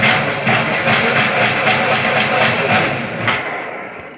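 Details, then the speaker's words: Razor MX350 overvolted with a 36V controller and throttle, powered by a Ryobi 40V battery, tires off, first test. High buzzy whir with a loose rattle about four times a second as the rear wheel spins; the owner suspects a flopping chain tensioner. "Sounds like I need to do some adjustments with the, maybe that tensioner is flopping around or something. It's making a lot of noise back there."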